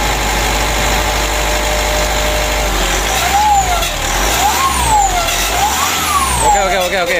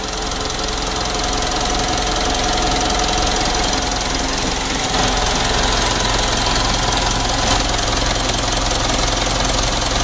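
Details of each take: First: 2012 Mitsubishi Pajero Sport Dakar diesel with a rough engine noise, revved with throttle blips: turbo whistle rises and falls with a scraping edge; mechanic judges the turbine is rubbing, suspecting ingested foam or debris damaged the turbine wheel. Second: Normal diesel idle on a 2012 Mitsubishi Pajero Sport Dakar after removing and refitting the turbo, which had been the source of a harsh rattling noise: steady, even clatter with no whistle, hiss or stumble; turbo now sounds clean.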